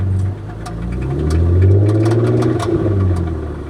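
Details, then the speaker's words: Turbo Chrysler LeBaron idling and revved: sharp hollow knock with squealing then rattling, metal on metal; owner judges it a rod knock, engine done. "You hear that squealing and then the rattling? Yeah, that squealing is metal on metal. That's what it is."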